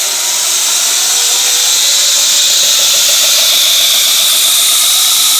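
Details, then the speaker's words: 2x72 inch belt grinder driven by a salvaged treadmill motor, speed set to 6: steady high hiss and whir of the belt, smooth with no knocks or flutter, tracking well; normal running. "can hear it wing up there. Just moving along. You can see it tracks pretty well."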